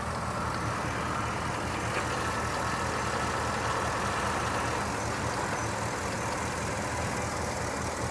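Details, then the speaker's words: 2010 Ford SVT Raptor, 6.2L V8, 118k miles, all stock, hood open: even steady V8 burble at idle with no ticks, misses, knocks or smoke; idle sounds like it should, normal idle. "idle's great sounds like it should closing the dash or the hood there we go looks like a noob opening that hood you hear it no smoke no nothing no weird sounds just perfect"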